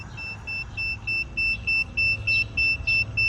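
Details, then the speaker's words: Garden railway track, sectional continuity testing with a meter: crisp high beeps about three per second show continuity, locating the short in the curved corner stretch between two track sections. "Eureka I have found the short well I haven't really found it sir per se but it's in this stretch of track right here on the corner"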